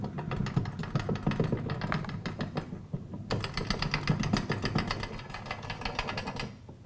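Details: Lancaster Archery Supply Pro Shop draw board, winch cranked in slightly, unlocked and slowly let down to release the bow: a fast, even ratchet clicking runs steadily for several seconds, then stops; pays out smoothly with nothing binding, normal let-out.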